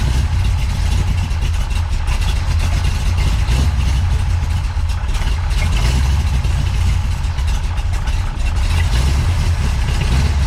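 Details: Big-cam big block Chevy with rebuilt Holley 750 double pumper, drilled throttle butterflies: deep, lumpy, loping idle with uneven low pulses; large cam valve overlap gives low vacuum so too little air flows through the carburetor to idle properly.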